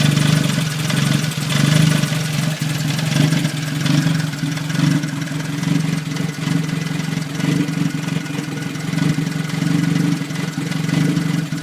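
Small four-cylinder idles with an uneven, wavering beat and surging loudness rather than a smooth even hum, so it's idling rough.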